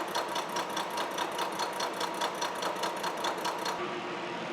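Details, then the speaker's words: Horizontal mill side milling bronze locomotive connecting-rod bearing castings at 0.100 in per pass; steady cutter hits about two per second with one tooth striking harder each turn, uneven tooth engagement but finish looks great, not a concern. "I'm going to feed in 100 th000 and the letter cut across that cutter really sounds like it's hitting hard on one tooth but I'm getting a really nice finish so I'm not going to worry about it"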